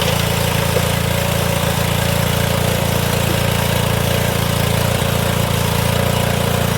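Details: Old Cub Cadet HDS mower, suspected blown head gasket and squirrel-chewed coil wire, first run after starting fluid: small single-cylinder engine running steady and even with a regular low thump, no misses or knocks; it runs and drives.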